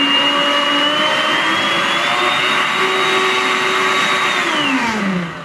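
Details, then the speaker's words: Arno Clic blender, 127 V 600 W, after properly seating the jar until it clicks twice: strong steady high motor whine shifting slightly in pitch on pulse, then winding down smoothly; running normally. "Pulsar, ó. Funcionando perfeitamente."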